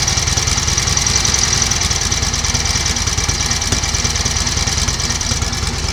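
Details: 1938 Matchless Model X 990 cc V-twin just started after several years laid up, choke closed, ignition advance uncertain: steady even beat with crisp mechanical chatter, no knocks or misses, some exhaust smoke from oil; normal idle.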